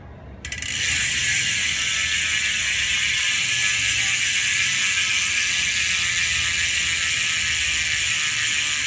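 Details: Ultrateam 2018 Ceramic wheelset freehub (6 ceramic bearings front and rear, carbon rim, Pillar spokes), wheel coasting: fast, fine, even, crisp ratchet ticking, smooth and refined; normal healthy freehub clicking.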